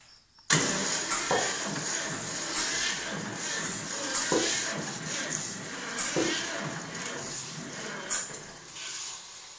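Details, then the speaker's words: John Deere 630 tractor, first start attempt after six or seven years, new battery, box and wiring: slow uneven cranking with regular pulses about every two seconds, never fires; owner suspects weak battery; cranking without starting. "what what's that pumping sound well i don't know that suction don't have enough i don't have enough power enough battery yeah yeah that battery might be toast"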